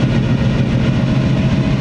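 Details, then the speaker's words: Supercharged Weiand roots-blown carbureted engine with twin AVS2 carbs after idle and mixture tuning, idling about 800–900 rpm, air-fuel just under 14:1, temperature near 180. Deep, even thrum with regular firing, no miss or hunting; normal idle. "all right sounds like it's running smooth as silk i got everything [Applause] i got the mixture nailed down i think idle snail down it's running just under"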